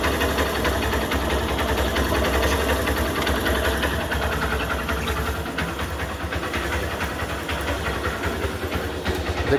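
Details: Honda Shine 125 BS4 single-cylinder after compressor (compression) repair with new valves and guide: steady idle with even quick beat, no knocking or rattling; runs smoothly.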